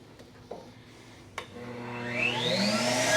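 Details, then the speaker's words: CECOR SD15 Sump Shark vacuum converted to battery power via inverter (normally 120 V), running on battery to discharge tank fluid into a drum; motor whine winds up steadily to a smooth even run: normal operation. "So right now we're on battery power. We're going to discharge the fluid that's in the tank into this drum over here."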